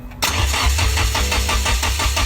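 Steady rhythmic cranking at about four to five pulses a second with no firing; distributor was set a tooth off so it won't catch.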